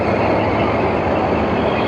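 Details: Midea 30-ton R-410A package unit with two 15-ton systems, after system 1 condenser leak brazing and system 2 condenser top discharge fan motor repair: steady even roar of compressors and condenser fan, no knocks, rattles or squeals; running normally.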